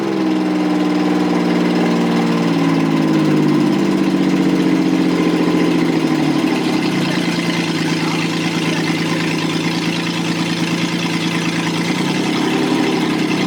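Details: Rebuilt Toyota 7M-GE, valve seats dremeled, run on a furniture dolly out of the car: uneven, loping idle with an irregular stumble as the revs wander; one cylinder dead from leaking exhaust valves.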